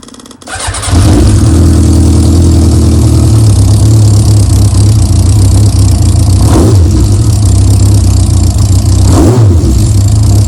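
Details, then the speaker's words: Yamaha Diversion motorcycle, near-cold start after Seafoam carb treatment; fuel pump ticks, catches quickly, settles to even idle just under 1,000 rpm, blips rise and drop back cleanly; clutch noise gone, no rattle, running healthy. "That's from, you know, pretty much cold. I was out on it this morning, but so that revs are going up and down nicely. I like the tick over just under 1,000, to be honest."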